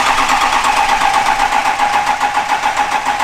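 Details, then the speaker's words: Ford F450 with 6.0 diesel, build first start: even starter cranking about 3.5 turns a second with steady whine, never catches; owner believes oil pressure not yet high enough to fire injectors. "We've been cranking it over, trying to get the oil getting enough through the engine there to where it tells itself to fire the injector because there's enough pressure in the something something with the something something, and clearly we're not quite there yet."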